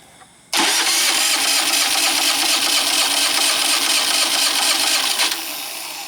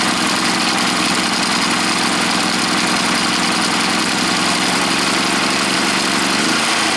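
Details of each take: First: Predator 3500 generator, suddenly wouldn't start: about five seconds of strong, steady cranking with no firing; cranks but won't start, fixed by replacing ignition control module TJ113-2009-1. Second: Predator 3500 generator after the ignition control module (TJ113-2009-1) was replaced to fix a no-start. It runs strong and even at a steady fast beat with no misses, then winds down cleanly, so it starts and runs normally.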